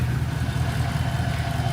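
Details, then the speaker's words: Chevy Silverado 5.3 V8 (2014–2018) after a full Texas Speed DOD/AFM delete kit and tune, at full operating temperature: steady even low idle rumble with no ticking or knocking. "It sounds good. It sounds real good."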